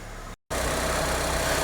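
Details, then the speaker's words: 1995 Vauxhall Astra F Arizona (Mk3) petrol engine, about 40k miles, warming before an oil change: smooth, even idle with a steady low drone, no knocks or misses; idle drops as it reaches temperature, normal warm idle. "there we go, you can hear the engine, it's getting up temperature, the idle's just dropped, so a bit more heat in that, and then we'll go and see Lewis."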